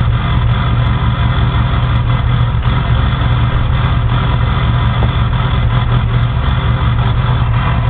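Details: Ford 6.0 Power Stroke diesel cold start after sitting about 10 hours at 75°F: heavy, uneven low drone with irregular lumpy pulses; rough cold idle, owner suspects bad injectors or glow plugs.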